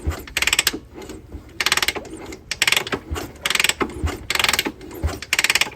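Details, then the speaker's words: 1978 Honda CB400 barn find, unrun for 44 years, one spark plug out and the other loose with penetrating oil in the cylinders, kicked over by hand: slow rhythmic ratcheting with a firm thump each stroke and no leak hiss. Good compression. "shouldn't be too much compression I should be able to kick it over by hand nice you actually hear compression you can hear that"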